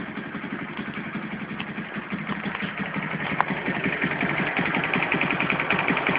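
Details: Alpha moped small single running with a light, fairly steady tapping about three per second over the exhaust, especially heard on throttle blips; internal engine knock, source unclear to the owner.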